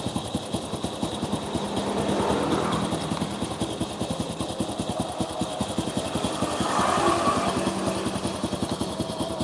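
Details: Honda Supra motorcycle after engine rebuild, spark plug found not tightened: uneven exhaust pulses surging and sagging, no steady idle; rough unstable running, carburettor flooding.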